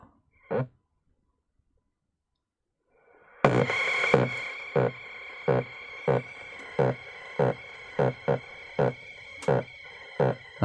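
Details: Hitachi TRK-510ER transistor radio on four D cells (6 V), first switch-on: regular low boops about every two-thirds of a second over faint hiss, radio motorboating; cassette deck also reported faulty.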